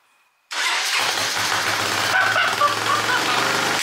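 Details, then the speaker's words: Honda FourTrax 300 ATV, first start on a new carburetor with old gas, nothing tuned yet: the engine catches at once and settles to a fast, steady idle that sits too high; the carburetor needs adjusting. "kill switch works so works it's idling a little high so we're just going to tune this carburetor up"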